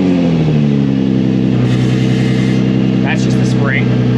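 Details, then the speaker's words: Nissan 350Z idling after Tomei titanium exhaust repair: steady low idle settling after a rev, with an occasional light metallic clink from the exhaust spring; no leak, sounds healthy. "Yeah. That little clingy noise is just the spring. It does that."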